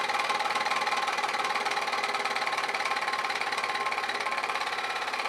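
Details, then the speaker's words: Old Kwik Kool oscillating fan after reassembly, fan and housing refitted: starts fast, then a steady quick knock about four per second over the whir as it slows; motor suspected binding or failing. "yeah i started up fast now it's slowing down i think probably the motor's"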